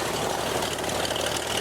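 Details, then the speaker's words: 1949 Beechcraft A35 V-tail Bonanza, just restarted after about 7 years idle, at idle: steady, even engine drone with dense propeller roar, no knocks or misses; healthy idle, oil pressure up, mixture control working. "Oh, she sounds good. That's what I'm talking about."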